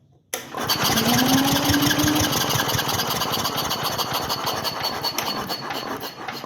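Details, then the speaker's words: Onan generator, last run in early 1980s, electric start: steady starter whine with even cranking pulses about three per second that never catch; no spark in electric start position, spark only with hand-crank switch; cranks, no start. "switch must be kept in electric start position except while hand cranking but it has no spark wall it's cranking"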